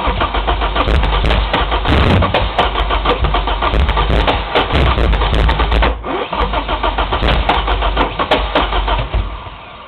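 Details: S14 engine cranks with a steady churn and occasional splatting misfire pops but never starts. All 4 plugs were wet with fuel and carbon after 30 seconds of cranking. Sensors, fuel lines, charged battery, plug wires, cap and rotor were checked; spark and fuel are present.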